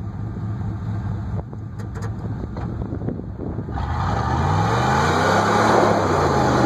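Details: 1994 Chevy 10-bolt rear end: a few scattered clunks then a rising and falling whine following wheel speed; binding works fine at first, then when one wheel grabs traction the other stops and whines, cause unknown.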